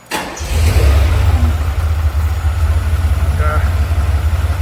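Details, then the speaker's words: 1979 Ferrari 512 Boxer with four triple Weber carburetors, after carburetor restoration, tuning and fuel-leak fixes (previously spat, kicked and backfired): quick crank catches at once and settles into a deep, even idle burble without stumbles or popping, a clean healthy start. "So that is what these things ought to start like and run like"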